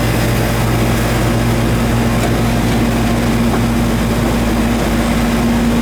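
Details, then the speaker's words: Goodman outdoor AC unit with the condenser fan not running and a puffy capacitor: the compressor runs with a steady, loud low hum and a rough, rattly edge; noisy compressor. "BR compressor you hear it some noisy"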